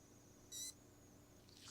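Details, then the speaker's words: Sony XR-77A80J TV power supply board 101055111 (4-blink error, won't turn on) on a bench jumper: a faint, thin high-pitched whine and hiss that coincides with oscillation measured on the filter capacitor. "Okay, it looks like we do have a little bit of oscillation occurring, and that oscillation is happening at the exact same time that we get that little whining sound."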